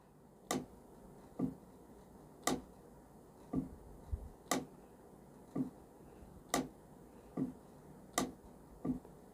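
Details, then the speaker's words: AC compressor clutch coil bench test, wire disconnected and jumped with 12 volts: sharp single clicks about once a second as the clutch pulls inward cleanly each time power is applied; normal coil. "And when you give it power, the clutch coil should activate and it should pull inward. You'll hear a clicking noise."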